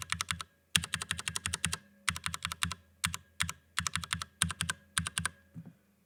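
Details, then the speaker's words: Cherry MX Brown switch on Drop ALT keyboard, fully lubed spring and housing: quick even crisp keystrokes without scratchy rattle or spring ping; smooth keypress. "it's just a little smoother just all those little bits are just sort of smoothed out"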